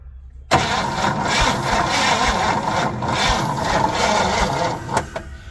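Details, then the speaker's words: 1961 Chevy Impala 4-door, sitting 20 years, cranked on jumper cables: the starter turns steadily but the engine never catches because there is no ignition spark; the coil is to be checked next. "I'm still not seeing spark there we'll go and check the coil"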